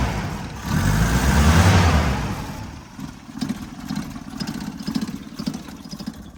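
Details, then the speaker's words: 1977 Toyota motorhome engine after sitting for months. A loud rev drops into an uneven idle with a rough rattle at about four beats a second. The air cleaner is loose from a lost mounting bolt. Rough idle with rattle. "Turns out the reason it sounds so bad is I've lost a bolt that connected the air filter to"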